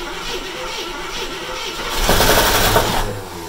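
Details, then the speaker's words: 1972 AMC Hornet Sportabout X after 24 years in a junkyard, running on gasoline: starter churns the engine with a rough whirring surge that never catches; cranks but won't start, starting fluid next. "been trying to run it off of gasoline it's not catching so we're gonna break out the starting fluid"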